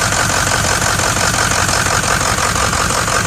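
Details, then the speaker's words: 2006 Ford diesel truck at a steady idle, with a light metallic jingling from the front of the engine; the fan clutch is suspected but not confirmed. "All right, I'm hearing a little bit of jingling coming from the front, which possibly is from fan clutch. Gotta be."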